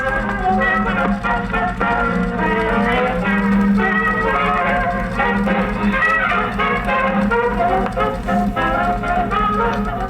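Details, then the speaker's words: 1947 Silvertone wire recorder/phono/radio combo, after three days of repair on the wire recorder: clear full-volume music playback at steady level with no hum, hiss or warble; plays back cleanly. "3 days of working on this that sounds pretty good congratulations"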